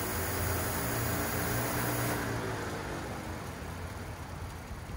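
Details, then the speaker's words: 1990 Range Rover Classic, new fuel pump and filter fitted, on jump box, in park/neutral: slow rhythmic starter churning, engine turns over but never catches; crank, no start while trying to build fuel pressure. "so we got a slow crank it turned over like it did in the other video with starting flip we're out of starting fluid now so we're trying to build some fuel pressure i guess"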